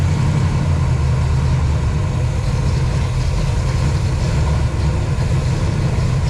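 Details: Pontiac 421 .030 over with '69 big-valve heads and degreed cam, warm at about 180°: deep, loud, steady idle with no misses, knocks or ticks. Normal idle.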